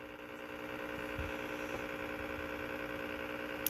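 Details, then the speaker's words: Top-load Whirlpool washer with a failing lid safety switch: a low steady hum and a single click, then no drain or spin sound as the washer stalls mid-cycle. It starts when the lid is pressed down and shuts off when released. "now straining see that well when I got up off the lid nothing nuts now press on the lid it starts I'll let go of the lid it shuts off"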